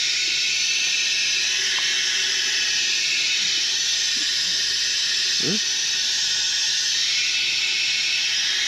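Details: F-4 Phantom in hangar: continuous high airy hiss with faint handling noises; pneumatic leak, not the piston, source not pinpointed.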